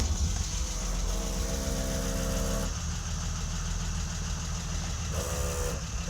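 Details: Engine stumbling, idle tone shifting and faltering every few seconds, on a BMW E30 with M20B27; intermittent fuel pump power from a bad fuel pump connector.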